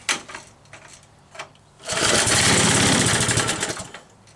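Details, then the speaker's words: Troy-Bilt Trail Blazer sickle bar mower small engine with next to no fuel: a few weak pulls, then catches with a quick even popping beat for a couple of seconds; healthy start despite low gas. "I don't think it's going to stay running. And has next to no fuel in it. So I'm shocked she stayed running for that long."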